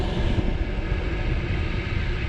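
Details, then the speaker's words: Chinese diesel heater in an overland teardrop trailer, recorded on a GoPro inside with the door shut, fan and controls high: steady low whooshing rush of air, no ticking or rattle; blower running evenly at full speed, normal. "The fan is on full steam ahead, I believe, because that's coming through there quite noisy."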